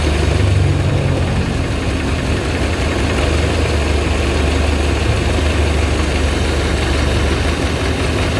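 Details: Carburetted Suzuki Zebra 1.3 after the idle/air screw was turned down: steady low idle with an even, light beat and no misses, running lighter. Compression and spark plugs seem normal; the float needle was too tight.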